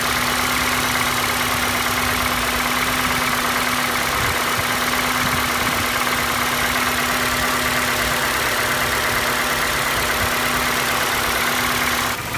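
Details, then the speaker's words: Normal idle of a healthy Ford 2.5L petrol engine (2012 Escape type), warm, for comparison: steady even idle with slight normal top-end noise and no heavy knocking, unlike the faulty engine's tapping knock between cylinders two and three. "and here is how a good one sounds they have a do have a slight noise to them but the other one is obviously not normal"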